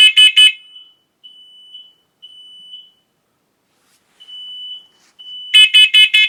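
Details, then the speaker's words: Hardwired, interconnected smoke and CO alarm tested with the button: loud high-pitched beeps in rapid triple bursts with a steady tone between, triggering all the alarms upstairs; the CO level reads 0 ppm. It tests normally. "So you can see how this alarm triggered all the alarms upstairs."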